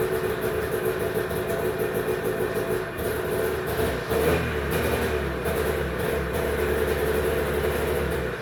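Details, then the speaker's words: 1991 Arctic Cat Prowler 440 liquid-cooled two-stroke snowmobile, stored 4 years: buzzy idle sags, picks back up, then fades and stalls. A faulty spring throttle safety switch kills it; it runs fine held closed and dies when the spring returns. "there's a spring switch in here and when I'm holding this switch closed the thing runs just fine the Spring's back and the thing is just dying here"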